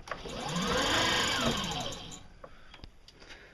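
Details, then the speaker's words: Electric motor whirs up and coasts down over about two seconds with a rough, rattly edge to the whine; abnormal motor noise, brushes recently checked and fine, owner suspects something stuck inside, not confirmed. "that should not be making that"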